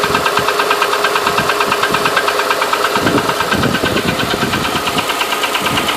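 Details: 2008 Honda Ridgeline at idle: a light, regular top-end tick a couple of times a second rides evenly over a smooth idle; the ticking noise's cause is not identified.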